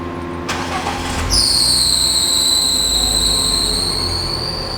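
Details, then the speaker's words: Small car at startup, recorded outside: a loud high squeal rises and holds, pitch sagging slightly as revs settle; a slipping loose fan belt. "There's nothing more annoying than that bloody sound. And that's a loose belt."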